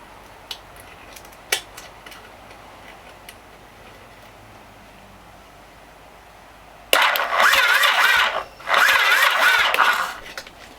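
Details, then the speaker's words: Yamaha XS850 brat build with Axel Joost B-Box partially wired: starter whirs in two short bursts, turning the engine over slowly without firing; the battery seems low on juice, the owner suspects the battery and plans to charge it and clean the earths. "For some reason the battery sounds like it's not got much juice, which is weird."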